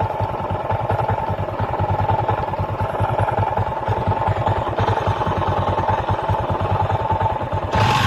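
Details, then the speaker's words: Honda XRM 125 carburetted single-cylinder, before teardown: steady idle with an uneven rattling knock about three per second; worn crankshaft side bearing, later fixed by replacing the side bearing and connecting rod and reboring. "Before natin paandarin ang kanyang motor, iparinig ko muna sa inyo ang tunog ng kanyang makina. Hindi pa natin ito binaklas o inabuhin."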